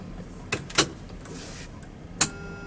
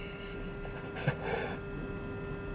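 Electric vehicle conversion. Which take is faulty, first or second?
second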